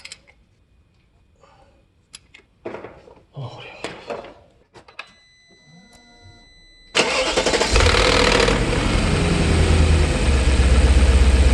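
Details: BMW E39 showing a cylinder 2 misfire code after bank 2 cam position sensor and MAF replacement: after some clatter the engine fires into a loud thudding beat about four a second; a bad cylinder 2 ignition coil is suspected.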